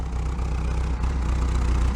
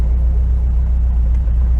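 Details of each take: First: 1968 VW Double Cab automatic truck after years stored in a tent: low, even idle with a steady puffing tick about four times a second from a leaking exhaust joint; exhaust leak, though running well for its age. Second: 1968 VW Double Cab automatic pickup after years stored in a tent, cruising on the highway around 65–70: steady low healthy engine drone, no knocks; runs well, though it has some exhaust leak.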